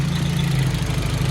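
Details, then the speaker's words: 1996 Audi B5 after new spark plugs and coils repositioned away from heat, starts first time and idles warming up; smooth, even low idle with no rubbing or scraping, earlier mechanical noise gone. "okay looks like that mechanical noise is gone that little fix I did is good"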